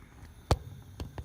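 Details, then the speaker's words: Gas log fireplace pilot lighting: with the pilot knob held in, the igniter button is pushed, giving a few sharp, separate clicks over a quiet background. The igniter is sparking normally, and a blue pilot flame follows. "So hold the pilot down, and with your right hand, then with your left hand, you're going to push that igniter that I showed you previously. Alright, so you can hear the clicking,"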